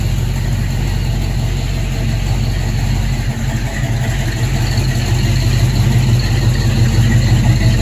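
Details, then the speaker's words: Buick V8 (one of the project cars: 1971 Gran Sport with bored 455, 1970 GS 455, or 1970 Skylark GS clone with 455) idling and revving evenly with low burble and no knocking, sounding much better after tightening to cure a noise; normal. "so i'm going to continue to tighten them sounds so much better"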